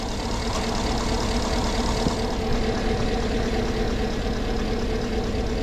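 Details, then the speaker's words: 2009 Hummer H2 at low, uneven idle with an irregular lope and stumble. The engine light is flashing, and live misfire data shows a dead miss on cylinder 3. The alternator is dead and not charging. "Alright, it's misfiring on cylinder number 3. Pretty badly."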